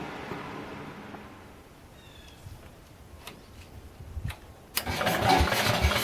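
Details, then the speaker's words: Ford Model 100 garden tractor (Jacobsen-built) with Kohler single-cylinder engine, first start after work: catches abruptly, blows some carbon from exhaust, then steady even run; carburetor adjusted, charging working; healthy. "Well, this old Kohler runs pretty nice. I blew a little bit of carbon out of the exhaust when it first started, so I think a bunch of the stuff inside the engine loosened up and it got rid of it, so that was kind of nice."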